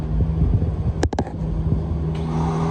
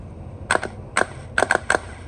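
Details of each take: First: 2017 Honda Civic with a new battery that won't start; on two key turns the starter spins in place with a whirring grind, its pinion not pushing out to engage, so the engine never turns over. Faulty starter, to be replaced. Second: Good starter for a 2017 Honda Civic bench tested with jumper on the signal terminal: five sharp clacks with brief whirs as the gear pushes out and spins normally, unlike the faulty starter.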